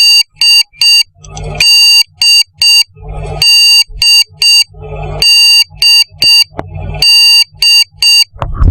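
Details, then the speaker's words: Desktop computer with a RAM fault: groups of three sharp high beeps repeating continuously while the display light blinks and no picture appears, though the processor and everything else work; RAM fault beep code. "देखिए इस तरह की जो beep है ये beep आपकी continue आती रहेगी। एक बार फिर से सुनिए इस तरह की बीप। इस तरह की बीप आती रहे और आपके कंप्यूटर में जो लाइट है डिस्प्ले की वो ब्लिंक करती रहे और डिस्प्ले ना आए"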